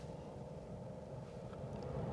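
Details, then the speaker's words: 2006 Pontiac Torrent heater blower, tested with the dash apart after repairing a lost high-speed setting: soft steady whoosh with a low hum on low speed, no ticking or scraping; the fan runs smoothly. "I you'll probably hear the fan run. So, there's low."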